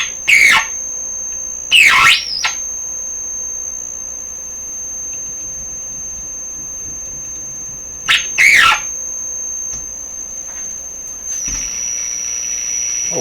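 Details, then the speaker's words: DeForest 10DA517 AM radio run on under 100 supply volts: steady piercing high whistle howl that shifts pitch when a stiff control is turned, with knob noise; oscillation cause still unknown, being found by elimination. "Well, we seem to have changed the tone, the howl, quite a bit."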